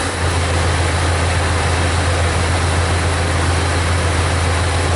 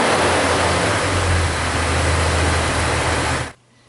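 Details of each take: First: 2000 Jeep Cherokee Classic 4.0L six-cylinder, about 130,000 miles, check engine light, P0300/P0306: uneven loping idle with a skip every couple of seconds, no mechanical noise; scan tool isolates the misfire to cylinder 6. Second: 2000 Jeep Cherokee Classic, 4.0L inline six, about 130,000 miles, after misfire repair with codes reset and misfire monitor at zero: steady, even idle with no skips or stumbles before shutdown; normal idle.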